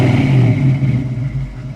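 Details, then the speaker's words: 1968 Mustang coupe, 289 V8 two-barrel, dual exhaust, 3-speed manual: short throaty blip swells then idles right back down, smooth low exhaust note without clatter or misfire, no smoke; normal free rev. "I mean, you just revved it up, it sounds awesome, but yet it idles right back down."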